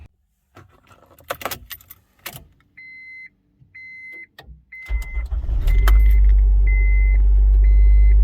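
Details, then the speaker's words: Honda with completely dead battery jump-started from a repaired DeWalt 1400 amp jump starter: keys jingle, door chime beeps, short crank catches quickly into steady idle; alternator charging, normal start. "it's running as you can see it's picking up alternators charging seems to be working good so far"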